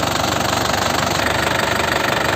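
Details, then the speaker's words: Isuzu Panther LM Smart Turbo 2008 diesel, manual, injection pump still factory-sealed so idle is stable, warming up: fast, even diesel clatter with a steady pulse, no misses or extra knocks; healthy, smooth idle. "Uh, kalau begitu mari kita lihat suaranya, suaranya masih jernih. Stasiunnya masih bagus, PPOM masih tersegel sehingga stabil ."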